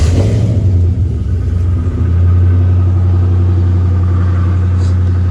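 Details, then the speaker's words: Chevy with an LS swap, first start on a new harness during 4L60E prep after replacing a missing 15 A fuel pump fuse: steady deep drone settling after a brief stumble into a raised, even idle; owner expected high idle from missing parts. "I hear it's idling kind of high."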